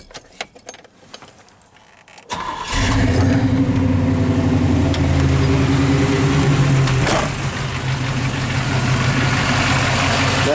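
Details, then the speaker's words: Manual-converted 1997 Chevy OBS truck with EGR delete and a standalone computer, regularly serviced: quick crank, clean catch and an even, steady V8 idle with no misses or knocks, runs smooth. "so see it runs pretty smooth not a bad deal"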